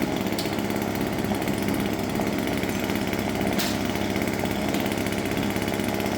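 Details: Husqvarna 136 chainsaw that wouldn't start, no water found in fuel, now running to warm up: steady crisp two-stroke buzz at even speed, no stumbling or misses; runs cleanly.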